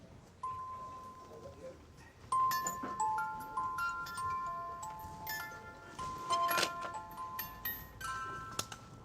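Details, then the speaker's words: Music box mechanism just reassembled during restoration, first test play: thin chiming notes sound uneven and slightly harsh with sharp clicks, from some bent pins and the comb sitting slightly out of position; more work needed. "right I've heard enough to know that we got a little bit more work to do here some bent pins the comb is slightly out of position but uh we got the foundations of a good result here"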